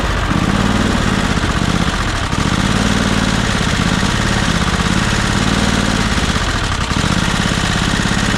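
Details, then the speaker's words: John Deere Scotts 20/48 lawn tractor, first start, trigger wire found unplugged, little choke: small engine chugs unevenly, dips and stumbles, won't stay running as fuel only starts arriving. ">> All right, well, it won't stay running, but uh we are starting to get fuel now."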